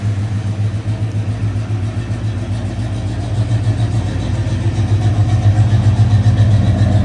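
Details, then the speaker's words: 1986 Chevy K10 Silverado with a GM Goodwrench crate 350 V8, heard from outside the truck: deep, loud burble with a steady lumpy beat that swells with throttle, strong and even through a free-flowing exhaust. Normal running. "let's hop out and give a listen to this awesome sounded engine [Music] what a great sounding great running truck"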